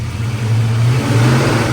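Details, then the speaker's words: Just after fuel pump replacement, fuel reaching regulator, pressure 38, no leaks: engine revs up cleanly and holds a strong steady drone without stumbling or misfire. Normal revving. "that sounded promising that was fuel up to the regulator little bit of perk"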